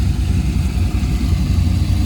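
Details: Corvette C5 V8 after OEM coolant reservoir tank replacement: deep steady even rumble, no knocks or ticks; normal idle.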